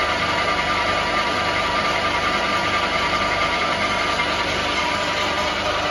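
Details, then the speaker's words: Refurbished 3-phase motor on a Centec 2B milling machine, rebalanced with new belts and straightened supports, runs with a smooth constant hum at steady pitch; no grinding, clicking or clattering, normal running. "now is by no means as silent as those modern mini mills but there's no grinding there's no clicking there's no clattering and i'm very pleased"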